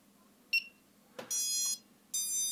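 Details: BLHeli_S speed controllers on a 400-frame quadcopter with an F405 flight controller, powered up after a crash: a quick chirp, then two sustained high electronic tones about a second apart, the normal startup and arming beeps.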